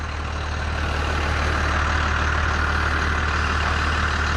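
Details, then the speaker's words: 1992 Dodge W250 5-speed 12-valve Cummins diesel, 288,429 km, muffler and resonator: steady, even low tractor-like clatter at idle, about three beats per second, no misses; normal healthy first-gen diesel. "Those old 12 valves are like tractors. Can't get rid of that sound."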